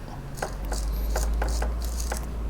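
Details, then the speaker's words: Toyota Landcruiser 80 Series electric window regulator motor gearbox opened and turned by hand: rough, irregular ratcheting clicks and scraping, gritty and grinding inside; a missing gear tooth was also found. "You can hear it gritty and grinding."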